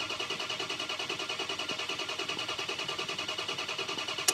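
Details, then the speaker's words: Ford 6.0 Powerstroke diesel, FICM power and sync present: steady cranking about three turns a second that never catches, then stops; crank no start from low injection control pressure, under 400 psi versus 500 psi needed. "okay we had sink we had fum power with the maximum ICP that I saw build there was under 400 so we have a uh we can't get to we again we need the 500 PSI just to start of just to idle"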